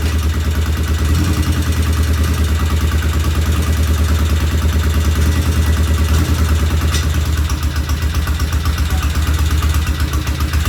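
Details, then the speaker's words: 1975 Norton twin motorcycle, first start after rebuild, checking oil flow: steady idle with light regular ticking over the beat; one loud tappet suspected, tappets to be rechecked after cooling. "All right, we have a runner, but it sounds like we have one loud tappet."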